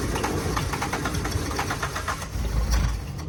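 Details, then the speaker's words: 1991 Suzuki Swift 1.6 AWD five-door saloon with a carburettor, cold start: quick even cranking pulses, catches briefly then dies away. Suspected fuel starvation; owner suspects the fuel pump has seized again, as it did before. "thr does that sound like a no fuel to us [Music] need to go check the fuel pump maybe that seized again"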